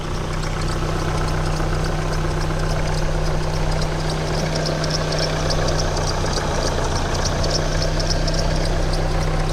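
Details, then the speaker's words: Opel petrol engine idling, hood open: repeating high chirpy squeak near the timing or alternator belt that grows louder and quieter over time, traced to a worn belt tensioner pulley bearing. "Где-то в районе ремня ГРМ или ремня генератора. Возможно, это видео будет полезно тому, кто ищет определённый характерный звук."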